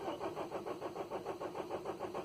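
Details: 2010 Renault Trafic 2.0 dCi diesel van cranks evenly, about five compression beats a second, never catching; rail pressure builds but computer supply reads only 3.03 V and sensor supply 3.63 V; immobiliser cutting voltage suspected, not confirmed.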